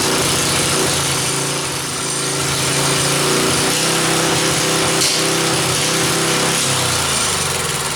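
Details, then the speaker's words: Rototiller engine installed in a mini four-wheeler: the buzzy little single thumps along unevenly with an occasional sharp backfire pop. Owner suspects a bad gasket between the carburetor and head; cause unconfirmed. "yeah the car r doesn't work quite right and you hear it backfiring and all that stuff"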